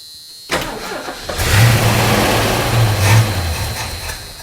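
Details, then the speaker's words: Ford Mustang Mach 1 that sat dry with old gas drained, puffing back through the carburetor. It catches after a short crank, revs for a few seconds, then sags; it seems to run only on fuel poured in. Owner suspects the accelerator pump. "I wonder if it's got a problem with the accelerator pump on it very possible I mean it's been sitting up dry we may be we may be hearing it run just from dribbling fuel"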